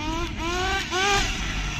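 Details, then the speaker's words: Nitro RC car engine after resetting needles, being tuned: high wavering buzz blipping up and sagging, loads of smoke at low end on first trigger, still very rich; rich low-speed mixture. "Still rich. Loads of smoke at that low end lot when you first trigger it. Very rich on the low end still."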